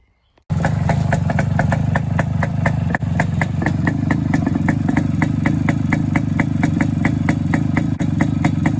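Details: Suzuki K125 two-stroke motorcycle after muffler exhaust leak repair: crisp, even popping at a steady idle with no puffing or hissing leaks; exhaust sealed, normal idle.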